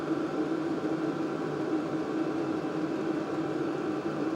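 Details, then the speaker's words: LDHTHOPI diesel heater bench-tested in a shop, set to max temperature and ramping up: steady whoosh of forced air with a constant fan hum and the fuel pump clicking faster; outlet about 181–192°F and climbing. Normal running. "So I'm going to put it all the way up to max temperature, and it's going to slowly start to ramp up. I can hear that fuel pump clicking more."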